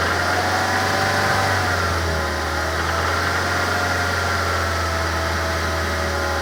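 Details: 2006 Mazda3 s 2.3: engine held steady around 3000 rpm with an odd droning hum and faint uneven pulsing, heard better with the microphone inside the cabin; source unclear.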